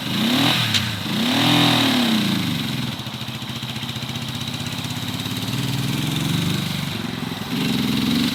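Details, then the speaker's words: 1970 Honda CB450 twin, barn find parked 20 years, first ride after revival: revs rise, then sag and stumble as the throttle opens; bogging, cause unknown, owner to check whether fuel is dumping into the engine. "So we'll be cleaning the bike, front brake, and diving into what could be this bogging situation."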